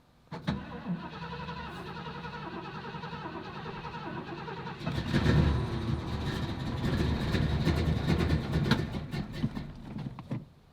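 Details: 1986 Ford F250 on its final start attempt of the day: starter cranks about two turns a second, engine coughs and almost fires several times, then dies; crank no-start, fuel apparently not reaching the engine.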